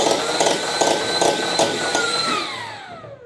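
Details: 3D-printed 3-round-burst Rival SMG, blower on a Valkyrie motor, flywheels on two Krakens: high whistle winds down with rattly bursts about three per second over the whine. Rattle traced to a loose bolt. Blower whistle and rattle.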